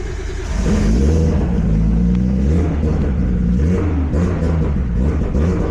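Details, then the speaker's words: Nissan Skyline R32 GTS-T right after a cold start, in after-start mode during trigger/crank-sensor setup on an aftermarket ECU: revs waver and stumble unevenly and won't settle; running rough, suspected trigger issue, not confirmed. "Oh, that sounds terrible."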